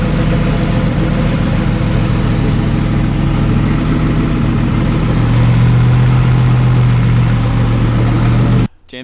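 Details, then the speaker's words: Wrecked C6 Corvette Z06 V8 with Texas Speed heads and cam: it catches and holds a steady, deep idle with a slightly lumpy cam beat. It finally runs, before idle airflow tuning. Normal idle. "what do you think i think it runs it runs finally"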